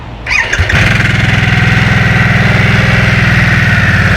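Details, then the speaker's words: Harley-Davidson Nightster V-twin started in Normal mode: starter whirs, then a lumpy idle with a fine tinny buzz over the beat, which the rider likens to sheet metal vibrating at startup; cause not identified. "저는 솔직히 시동 걸었을 때 우리띠딩 하면서 이렇게 철판 떨리는 소리가 좀 있거든요."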